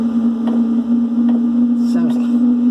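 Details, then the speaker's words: Webasto Airtop 2000 diesel air heater installed in a Westerly Konsort boat, starting from cold: metering pump ticking, then a steady, loud droning, jet-like roar. This is normal and quietens once warm. "sounds like a jet plane about to take off. But it does quieten down."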